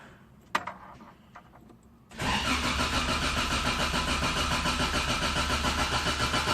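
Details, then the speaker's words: Toyota AE86 first start after replacing rusted fuel tank, fuel pump and filter and cleaning lines, about two gallons of 93 octane added: a few clicks, then steady rhythmic cranking about 3.5 beats a second without catching while fuel reaches the rail. "take a second for the fuel to get get up to the I probably ought to take a few moments to get up to the fuel rail here here we go"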